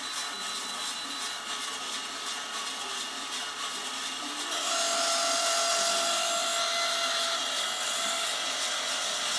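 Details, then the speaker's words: Skywalker V1 with the fan switched to full: a loud, high rushing whir that jumps in pitch and volume. The fan is far too loud, the customer returned it for that, and a brand-new replacement fan is on hand. "That's not how it should sound. Yeah, let's turn that off. Okay, so he returned it because the fan was too loud, obviously."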